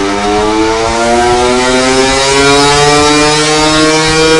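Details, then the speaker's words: 2021 Gas Gas EC300 two-stroke on a dyno at full load with a dented stock expansion chamber: buzz climbing steadily, sound turning flat, tinny pinging like a tin roof each revolution; dents cut torque and top-end rev, 37.83 hp versus 41.18 hp with a new pipe. "You'll start to hear the sound get more flat. Each piston revolution almost sounds like a tin roof or pinging."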